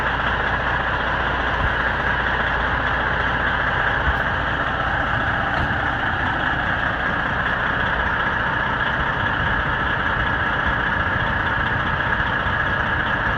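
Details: Bieber Tourways bus #545 diesel, brought down from an upper lot and left idling unattended for 25 minutes: a heavy, steady low rumble with a slightly uneven, loping beat, a misfire at idle.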